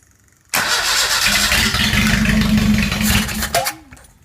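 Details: Datsun L18 engine, allegedly rebuilt, on the garage floor with Bluebird electronic ignition and no water pump or alternator fitted: brisk, even cranking on a remote starter, with no firing.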